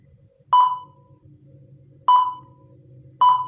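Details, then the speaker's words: DHD double-DIN car head unit, display normal but no sound: only three short menu beeps with silence between and no radio audio; a burnt capacitor and resistor from wrong power wiring are the fault. "Dan ternyata masih nggak mau ada ya suara ya. Masih tidak mau ada suara."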